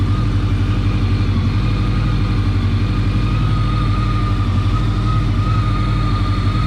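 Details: 1983-84 Honda Nighthawk 550 (CB550SC) after an oil change, checking for leaks; steady even low-pitched idle with regular exhaust beat, no knocks, ticks or rattles.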